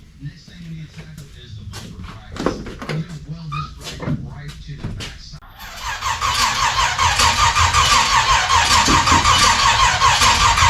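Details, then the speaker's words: 1956 gasser with new 750 Holley carb, first start attempt, no coolant added yet: steady starter whirr about 2.5 cranks per second with no firing. Distributor installed 180 degrees out of time, so no start. "we're off there somewhere in the ignition Department 180 out oh well I always do that yeah distributor was 180 out"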